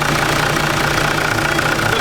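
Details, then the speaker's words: Toyota Landcruiser 80 Series 1HDT diesel at soft idle after fixing failed alternator: smooth even idle, no bearing growl or whine from the engine front; alternator spinning fine, charging 13.1 V. "all good, spinning okay. Not making any sounds anymore, which is great. It sounds so much nicer already."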